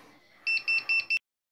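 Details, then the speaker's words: Bosch front-load washer (3 or 500 series) with E13 code, not draining: four quick high-pitched beeps as the P4 drain pump diagnostic test starts; pump is locked up, only humming, and is probably due for replacement. "then you're going to use spin spin selection till you get to P4 P4 then hit start it beeps at you and starts the drain pump"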